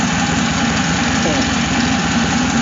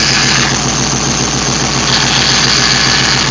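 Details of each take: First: Hemi V8 after aftermarket cam install and radiator flush, idling steady and even with a smooth low rumble; power steering pump whine quieted after adding fluid, air bubbles working out of lines that had been disconnected: normal idle. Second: Hemi engine (aftermarket cam) idling lumpy with a high thin steady whine from the power steering pump after the fluid was drained, starved and sucking air.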